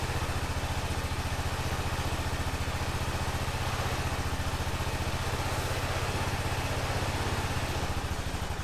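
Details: 2005 Honda TRX650 Rincon, 650cc single-cylinder four-stroke, on choke in neutral after a no-run condition: brisk, even idle thump, no stumbles or misses while warming up; the quad runs healthy.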